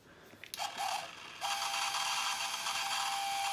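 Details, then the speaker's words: Early-2000s Lemax Oak Creek Grist Mill on its step-down power supply: after a click, a thin steady high buzz with a rattling edge holds even as the tiny water pump runs dry without water, while an LED turns orange. "sound is from the water pump and you see how that light there is turning orange I don't think that's very good"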